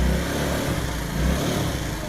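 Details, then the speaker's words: Wolf Islander 50cc Vespa-replica GY6 scooter, bought non-running and just repaired: small single-cylinder buzzing evenly with a slight swell in revs, no knocks or misses; runs healthy. "but it runs [Music] sounds good sounds healthy"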